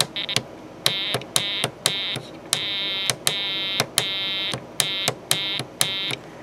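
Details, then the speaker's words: ELENCO Snap Circuits project 347 (Telegraph), speaker oscillator: a high, steady beep is keyed in short and long bursts spelling SOS in Morse (three dots, three dashes, three dots). The circuit is sounding properly. "sending out an sos [Music] and everyone should know the three dots three dashes three dots of course is the typical sos signal"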